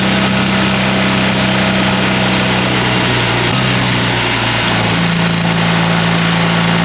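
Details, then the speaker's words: BMW R 1300 GS at about 10,000 km, GoPro on the left cylinder head, cruising about 3,600–4,200 rpm: constant fast clacking over wind and engine drone, left side only; owner suspects ShiftCam variation, valve train clatter. "donc comme vous avez pu le voir surtout entendre ce bruit vraiment constant dans la plage entre 3006 3008 jusqu'à 42 je pense c'est là où le chif cam varie et donc il y a ce de claquement et essentiellement de ce côté-là"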